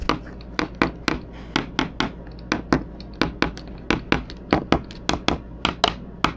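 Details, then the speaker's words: 1990 Endeavour 52 sailboat, overhead teak-core fiberglass repair bonded with thickened epoxy and scrap pieces: tap test gives crisp, even taps, three or four a second, all ringing the same with no dull spots. The patch is solidly bonded. "not bad if we're tapping from the top it's probably all going to sound the same so we got we got a pretty good bond in there we used a lot of thicken epoxy and uh so there all the gaps and everything's been filled in"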